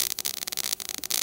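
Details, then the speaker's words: Everlast Power i-MIG 315, CO2 gas, ER70S6 0.030 wire, around 18 volts with wire feed raised: fairly steady crackling sizzle with short gaps, close to bacon-fry sound; arc nearly dialed in, needing a half-volt drop. "all right hear that sounds a lot better it's not too shabby there hear that sound"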